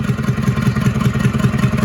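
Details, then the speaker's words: International Harvester B414 tractor diesel, formerly seized and freed, head reinstalled, some blow-by: steady idle with rhythmic popping about five times a second, popping back through the intake because the valves need readjusting; light exhaust smoke, probably burning a little oil. "you can see, it's smoking a little bit out of the exhaust, you know, burning a little oil probably, and popping out of the intake still because I need to readjust the valves like I've already told you."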